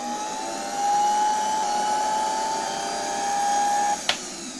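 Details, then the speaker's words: Electrolux V vacuum cleaner, probably 1924, after donor stator and rotor swap and rewiring, run via autotransformer: steady motor whine at even pitch with smooth airflow hiss, switch tested off and on, then clean cut-off; motor healthy. "włączę i zobaczcie odkurzacz rusza i nawet czuć jak tutaj dmucha już z tyłu z otworów wylotowych powietrze."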